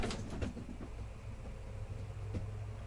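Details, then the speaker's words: RV slide-out being moved in snow and ice: low drone from the slide motor, then a single dull pop partway through as a frozen corner seal at the back lets go. "I hear this seal from the back corner here I heard it kind of pop I don't know how to describe that"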